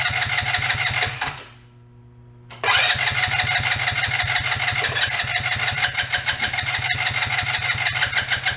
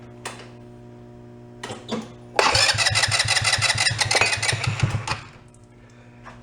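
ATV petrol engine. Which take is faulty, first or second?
second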